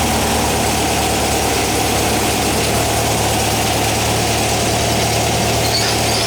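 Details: 1959 VW single cab pickup, replacement air-cooled flat-four warmed up at idle: ticks over evenly with a steady, smooth beat, no misses or knocks; normal healthy idle.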